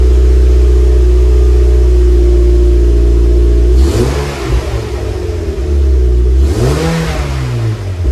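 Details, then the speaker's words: Cold start of a 2006-2015 Mazda MX-5 Miata fitted with a new Yonaka axleback muffler replacing the stock exhaust: deep steady idle, then two clean throttle blips rising and falling smoothly, with a throaty exhaust note from a healthy engine. "Okay, here's a cold start with the new Yonaka Axleback exhaust."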